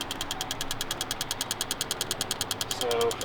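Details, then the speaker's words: Microsquirt ECU from a port injection kit on a supercharged Cadillac CTS-V, injector output test mode with engine off, after repairing a bad second-channel injector driver: crisp even injector ticks about three per second; driver fires normally. "so the second channel was bad so we set up all of our parameters and hit start and we can hear the clicking"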